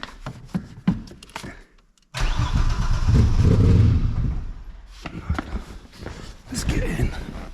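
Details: Chevrolet Cavalier V6 not started in 3 years, oil checked and jump-started with a NOCO Boost Pro on a dead battery: the starter churns at about four beats a second for a couple of seconds but never fires. It starts on the third attempt.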